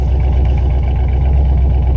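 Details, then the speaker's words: Exhaust leak at the rear exit on a Vortec-engined truck just bought after sitting parked, heard from behind: deep, loud idle with an uneven puffing burble, exhaust blowing out near the rear where it is melting a big hole. "Where it's melting a big old fucking hole. Oh, she's got some burble to her, boys."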